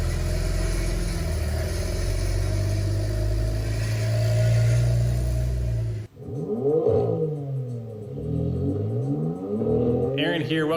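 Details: Porsche at startup and while slowly driving away: uneven rattle over a low rumbling idle; timing chain rattle suspected from failing chain tensioners that can damage the chain guides, tensioners to be replaced.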